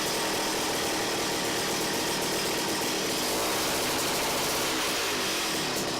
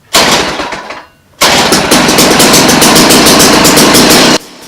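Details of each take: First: Ice auger two-stroke engine after carburetor clean, mixture screw turned a quarter turn clockwise: small buzz climbs cleanly in pitch and settles back with no bogging; revs up as it should, idle adjustment still to come. Normal revving. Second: Small two-stroke ice auger: catches after a false start into a heavy, uneven burble at high idle, smoky; sounds too rich.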